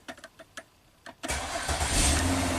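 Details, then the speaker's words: 2006 Ford Freestyle AWD no-crank, starter relay control side bypassed to ground with a test light, key on: a few light clicks then engine fires within a second into steady idle; hot-in-start fuse not getting power. "Boom. That was a pretty cool bypass test with a test light, and it didn't even light up all that much."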